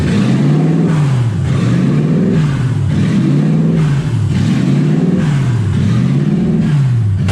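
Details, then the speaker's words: Ford Falcon with 1UZ V8 swap, warm with radiator hot and gauge about 160, just driven: revs rise and fall in a steady surge about every two-thirds of a second. Owner unsure of cause; idle hunting. "I don't know why idles like that. I need to figure that out. It's a little annoying, but radiator's definitely warm."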